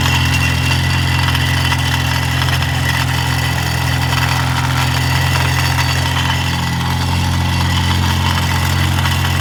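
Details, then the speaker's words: Mini with a rattle at cold start, heard from underneath: steady idle with a thin metallic buzzing rattle, suspected to be a loose or broken downpipe mounting bracket shaking the heat shield. "all right guys i think we found out what our issue is if you guys seen that i'm probably going to leave part of it in but attached to the heat shield and i think it may even be the down pipe the downpipe mounting bracket something's loose there or something broke so that's the cause of our"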